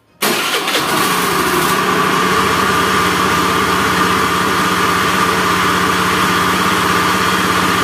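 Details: Honda Beat FI scooter engine: catches, then harsh gravelly rumble with a steady whirr like a helicopter, worse when revved; worn left crankshaft bearing.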